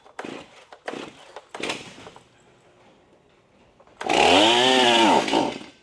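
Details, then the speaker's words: Fairly new Stihl MS271 chainsaw (customer says it bogs when the trigger is pulled; vacuum test passed), fuelled and pulled: fires on choke, revs briefly with a rising then sagging note and dies within a second. Starts then stalls; muffler screen to be checked next. "so it it fired up when it was on choke and it it ran for a second and it died on out"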